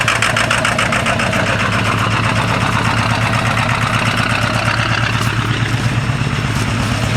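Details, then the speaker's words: 1997 Ford F-250 XL 7.3L PowerStroke turbo diesel, cold start at 65 degrees: loud, uneven clatter with a stumbling, irregular beat that shakes the truck at idle. The rough running is attributed to bad injectors. "tell you one thing you can lose weight having this TR cuz you know vibrat and shake so much you shake all that fat ass off of you"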